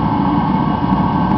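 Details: Rebuilt Mr. Heater Contractor Series torpedo heater, thermostat set low in summer, running about a minute: constant, even roar from fan and flame with no sputter or surging; burner running normally at full output.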